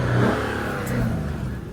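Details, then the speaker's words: Salvage Infiniti Q50 that runs and drives: smooth, even engine note with a mild exhaust rumble, a brief rev then settling, no knocks or ticks; engine described as good, healthy. "Like I said, y'all, the engine's good. You got a little exhaust note."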